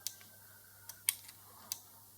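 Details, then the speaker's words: Overhead door opener control board powered on the bench with 24 V AC and a bulb in place of the motor: sharp dry relay clicks over a faint hum as the door is opened, display shows CS, but no power reaches the motor. "we hear the click of the relay, and it displays CS, this symbol C and this flipped C. It means that the door is open, but we have no power to the motor."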